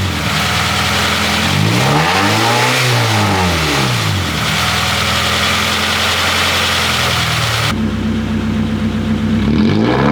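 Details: Honda Prelude H23A1 after a new timing belt, valve lash adjustment and ignition timing set. Revs up and settles to a smooth, even run with no valve tick or stumble; normal running.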